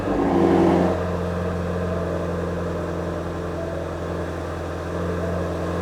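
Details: 2018 Ford Mustang Shelby GT350 fastback, low mileage, original condition: brief rev flare at start-up, then a deep steady idle with an even low rumble and no knocks or ticks; normal, healthy cold start and idle.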